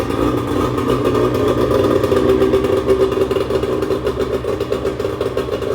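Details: 1996 bass boat outboard earlier ran on one cylinder and leaked fuel, now fired up after cleanup: steady, even run with a smooth throaty drone and no knocks or misses; sounds healthy.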